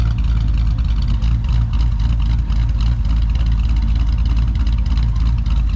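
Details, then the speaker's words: LS V8 after top-end rebuild for a failing lifter, oil pressure now 40-50 psi: deep, steady idle with an even beat and no knocking or ticking; slight lifter noise and smoke on first start, gone after the second run. "so it is normal perfectly normal right here a little bit of lifting noise and a little bit of smoke out the back whenever you first started up"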